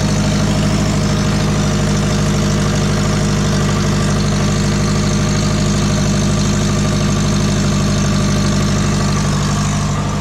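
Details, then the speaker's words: Twin-turbo Subaru low-mount setup, started seven to eight hours after applying sealant: loud steady idle with quick puffing tick about three a second; exhaust leak at idle, suspected at headers or 50 mm wastegate, not confirmed. "do have another leg kind of sounds like it's actually coming from the headers uh if it's not the headers it's definitely that 50 millimeter wastegate"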